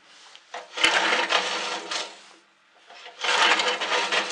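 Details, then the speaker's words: Two long rasping recoil pulls with no firing on a 1978 Gilson snowblower with no spark, ignition on, safety handle engaged, on a chilly day; stiff like pulling a brick wall. Owner suspects faulty safety switches. "Whew. Yeah, it's a little chilly out today. It's kind of like trying to start a brick wall."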